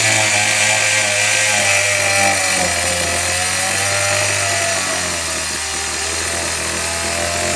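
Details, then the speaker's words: 2005 Yard Machines 21-inch lawnmower, 20 years old, on a hot 80°F day: small engine screaming flat out at a steady high pitch with no throttle change; stuck at full throttle because of a faulty carburetor. "It's going to be full throttle since this carburetor screwed up."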